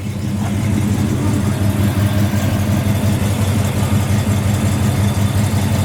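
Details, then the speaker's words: 1968 Chevrolet Impala, 383 stroker V8 with cam, open-chamber Flowmaster-style mufflers, idling at 190° temperature and 25 psi oil pressure: deep, slightly loping burble, about three pulses a second, even and steady; healthy idle. "so the temperature is at 190 and it's idling at 25 PSI just touch the throttle it jumps right up to 50."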